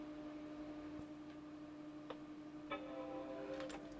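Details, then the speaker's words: Apple Macintosh Color Classic after replacing its leaking surface-mount electrolytic capacitors. It was popping before the chime before the repair. At power-on the startup chime now rings out clean and undistorted, a healthy sound after the repair. "So I don't know if you heard it, but that chime wasn't distorted. It didn't sound bad. It was just a nice sound."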